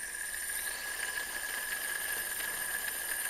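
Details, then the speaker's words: Mercedes M111 engine's old belt tensioner pulley, removed and spun by hand: freewheels endlessly with a thin squeal and light ticking, worn bearing; a healthy pulley has resistance. "You spin it, and it just goes on and on and on forever. That's not good. See, you can even hear the weird noise it makes."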